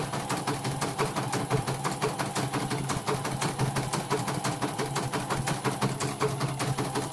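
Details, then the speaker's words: Embroidery machine after repair of a rough, snoring running noise, test-stitching with red thread: needle bar ticks at an even pace of about two stitches a second with no rough drag. It now runs very smoothly with stable stitching. "Ini sudah sangat lancar ini. Jahitannya sudah sangat stabil."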